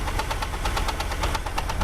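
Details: 2001 Jeep Grand Cherokee 4.0 straight-six idling, knock appeared suddenly at restart after 10-minute park: sharp rapid ticking about nine a second, loudest at exhaust manifold-to-engine joint; valves checked, belt removed, oil fine, wind on mic; cause unknown, not thought rod.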